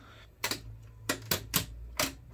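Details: Sony TC-RX410 cassette deck, after an attempt to fix its broken belt: sharp clicks at irregular intervals, but it will not play; only one side turns.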